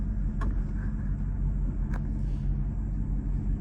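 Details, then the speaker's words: 2003 Mercedes SL500 V8 after a coilover conversion from ABC suspension: deep idle with an uneven, shaky rumble; not the best idle but plenty of power; cause still undiagnosed. "I know you can feel it a little bit. It's not the best idle, but it's uh but it idles and it has plenty of power. So, I got to figure out what's going on with that."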